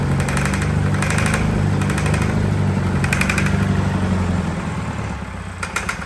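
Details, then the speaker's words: Fire-damaged diesel in 1989 Sambron D2000 telehandler after wiring-fault fire; rough running with heavy uneven knock about four times a second as the injection pump is thrown out of balance, its rubber drive coupling gone. "it was trying to throw the pump around in there was it you know it went out of balance oh cuz the it had a rubber coupling"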